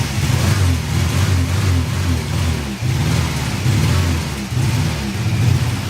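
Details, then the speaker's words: 1985 VW Cabrio off the road 17 years, running on roughly three-year-old fuel: engine surges and sags unevenly, dipping hard as if about to stall; under more throttle it wants to die and died a quarter mile into a drive. Cause not yet found. "under more throttle it wants to die he wants to use less throttle to drive so we're gonna have to figure that out"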